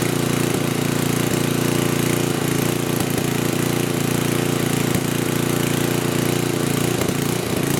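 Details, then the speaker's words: 10hp gasoline generator converted to propane (LPG) with a cheap aftermarket carburetor's regulator, governor spring tension just reduced; steady drone with rhythmic lope about two or three beats a second, still galloping; cause unsure, owner doubts regulator is too small; engine hunting. "well experiment confirm that we can do this it's going to take some sort of little tweaking to get this tonight gallop like that"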